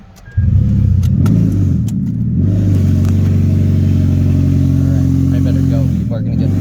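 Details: 2003 Toyota Prius with its catalytic converter stolen, started for a long drive home: loud, raspy, buzzy drone with strong low growl like a weed whacker, heard with window open; loud exhaust from missing catalytic converter.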